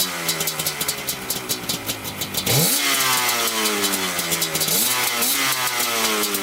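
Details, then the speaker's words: Yamaha Banshee 350 twin two-stroke after carburetor cleaning (stuck needle had flooded one cylinder): crisp, even ring-ding blipping up and returning to steady idle, both cylinders pulling cleanly; one cylinder smokes slightly more. "all right so cleaning the carburetor definitely help everyone's perfect now sounds great"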